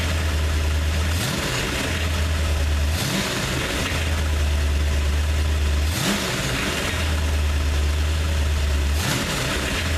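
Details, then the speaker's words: 302 V8 after a fresh oil change: even idle with quick throttle blips every few seconds, dropping cleanly back. No rattling, knocking or smoke; a healthy, normal idle. "beautiful come out good no rattling no knocking no smoking everything's doing good"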